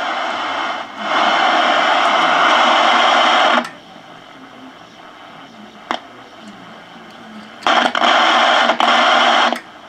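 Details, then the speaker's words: 1958 Admiral 15C1 black-and-white tube TV during repair assessment, no picture showing; loud hissy buzz cutting in and out in bursts through the speaker; modulator signal heard through TV audio. "That sounds like the signal from the modulator."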